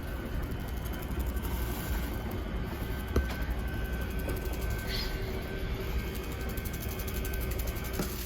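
A steady low motor drone with faint, even gear ticking and no straining or grinding: the awning motor extends normally.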